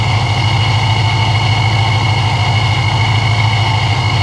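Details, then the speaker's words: ProCharged S197 Mustang GT started after sitting for weeks and revved, with a deep V8 idle and a clean constant high-pitched supercharger whine; normal, healthy blower. "that pro charger is just singing listen to her song"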